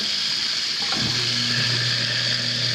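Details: Kitchen sink garbage disposal with a worn splash guard, checked during a home inspection. A steady low motor hum under the hiss of running water, spinning up smoothly with no grinding or rattle: running normally.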